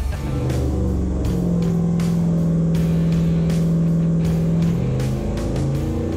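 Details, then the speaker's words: Rebuilt AMC 304 V8 from a Javelin with new cylinder heads and port fuel injection, full throttle on the dyno: strong, even roar at high revs under load, no knocks or misses; healthy, made 337 hp at 5500 rpm. "what do you think man that thing sounds healthy for a 304 i know i know it's a little baby cubic inch but it doesn't sound baby it's uh it's got as much chop as a 304 can"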